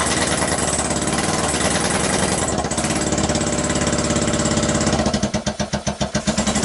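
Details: 2012 Kawasaki Ninja 250 twin, 42,000 miles, basket case test-fired on a stand with gas trickled into both carburetors; uneven, lumpy beat that stumbles and pulses as revs drop; owner unsure it runs on both cylinders.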